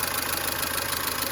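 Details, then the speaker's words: Mercedes-Benz W212 with M271 engine at idle, oil level full: quick light ticking from somewhere up top as the hydraulic lifters knock again; owner suspects antifreeze getting into the oil and plans Liqui Moly Stop Leak plus lifter additive. "По сути, проблема с гидравлическими толкателями клапанов снова возникла. Они снова начали стучать. Вот так, по сути, они и гремят."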